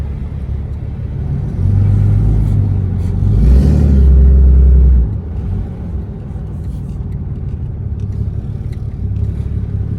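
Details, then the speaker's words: 2016 Ram 2500 6.7L Cummins, tuned and deleted, after Pedal Commander PC31 removal and battery reconnect: deep heavy roar swells over idle, audible outside; abnormally loud, struggling exhaust brake with black smoke and power loss. "loud under the hood. I normally couldn't hear it outside or from inside the vehicle. I'm hearing it through this window outside."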